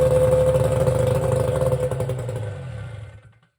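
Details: 1972 Mercury Phasemaker first-generation 9.8 hp two-stroke outboard, after ignition repair with points gapped at 18: fires and runs with a quick, even clatter around four beats a second before fading out; ignition sounds healthy, normal running.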